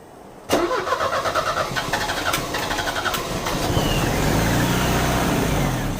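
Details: Euro-spec Mercedes 190E 2.0, 5-speed manual: cranks briefly, catches, then idles unevenly with an irregular stumble and lumpy beat; misfire from a spark plug. Two plugs were pulled and cleaned, and one is thought completely fouled.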